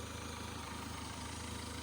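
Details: Honda 130 outboard idling after hard-starting fix (fuel injectors cleaned, vapor separator tank cleaned, fuel filter and water separator replaced): steady, even idle with smooth low pulse, no knocks or misses; running clean.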